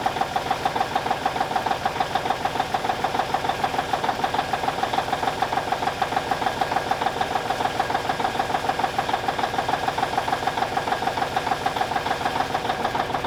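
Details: 1989 Kenworth K100E with a Cummins Big CAM IV diesel idling after a -6 °C cold start: steady, even clatter at about 200 knocks a minute with no misses, a little smoky, healthy while warming up.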